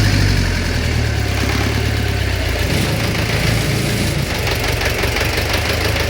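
A steady idle with a dull, regular knock riding over the low rumble, a bottom-end or valvetrain knock of unknown cause.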